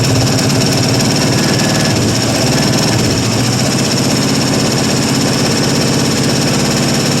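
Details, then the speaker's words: 1974 International 200 pickup engine, previously seized and freed after about 25 years parked, first run while warming up: rough idle with quick light clicking on top, typical International lifter click, owner suspects lifters dry from long storage. "So, sounds like typical international lifter click. But course, I'm of course I'm sure the old lifters are probably pretty dry after it's been sitting around so long."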